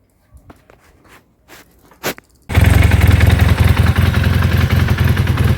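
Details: Honda CB400 starting and idling with a quick, uneven rattle of about three to four per second over the exhaust; the timing (cam) chain is suspected but not confirmed.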